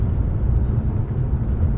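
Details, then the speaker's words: Jaguar XK8 cruising after rear suspension repair (both rear shock bushings, new anti-roll bar bushes, new drop links both sides): steady low road rumble, no clunks or knocks; earlier constant rear knocking is gone. "There's no knocking, the knocking is gone. So that's the result."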